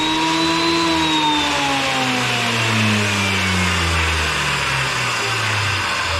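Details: Wood planer after replacing its sprocket, with old blades (new blades planned): a steady, high cutter whine and a descending hum as the board feeds through, cutting evenly with no knocking or chatter. Normal planer cutting.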